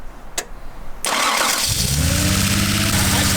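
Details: 1984 Toyota Celica Supra 5M six after head gasket job, new plugs, compression 170–185: starter whirs, engine catches and idles with a slightly uneven stumbling beat, a misfire from a loose injector wire.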